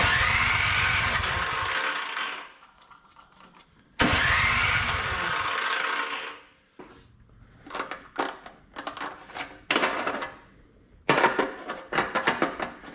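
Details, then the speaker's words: Older Craftsman MTD-built snow blower, primed and electric-started: two bursts of even cranking with no catch, then clattering; owner suspects bad old gas, crank no-start. "So maybe the gas is just really bad in it. Let's see if it fires. Prime it. Doesn't sound very good."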